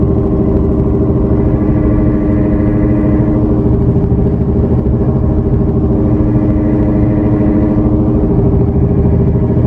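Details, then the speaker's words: 2018 Toyota Camry XSE V6 at speed: steady low cabin drone and throbbing hum that rises with speed and when turning the wheel; worn front wheel bearing, replacement eliminated the noise. "It's literally sounding like and you know, when you're increasing the speed, like it increases the sound. When you're, especially like when you're turning the wheel, see, like, look at that, ready? Every time you turn the wheel a little bit, like the sound actually increases."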